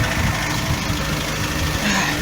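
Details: Mk3 Ford Cortina with a 50,000-mile engine, started on the button: steady low rumble with an even, unhurried beat and no knocks or misses, idling cleanly.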